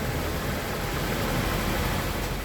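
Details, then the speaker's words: 2020/2021 Honda Accord after wheel bearing and spindle replacement, heard inside the cabin while driving: steady even road rumble with no hum, growl or speed-linked whir. Wheel bearing sounds normal. "Alright, and this is in the car. You hear nothing, so it sounds normal."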